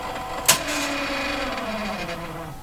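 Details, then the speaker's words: RCA Victor 911KG radio motor-driven automatic tuning: a click, then a harsh whirring motor tone sagging in pitch; the motor runs but the mechanism never engages, owner suspects it needs lubrication. "Ooh, that didn't sound very good. Okay, our first run at it. We got exactly the result I expected. It did not engage. And the other thing is uh Oh, wow. Sounds like it really needs a bit of lubrication."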